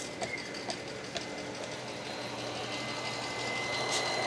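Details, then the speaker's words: 1997 Mercedes S500 coupe (W140) running after a head gasket fix: thin, steady high buzz from the side power mirror motor that never stops while the car is on. "And this mirror is going to keep going the whole time. Yep. It's It'll do that as long as the car is on."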